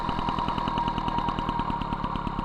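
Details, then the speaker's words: MBK 51 Magnum moped, stock engine, Dellorto PHBG 15 BD carburettor with main jet raised from 65 to 68, Malossi 19 intake, Arrow exhaust: fast popping idle at about nine beats a second, rich and lumpy with mixture screw out two and a half turns. "deux tours et demi le régime ralenti c'est pas bon"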